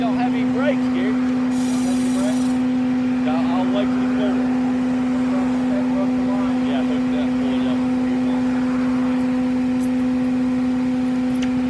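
A steady, fixed-pitch drone hums under the road noise while the van rolls, consistent with a worn wheel bearing.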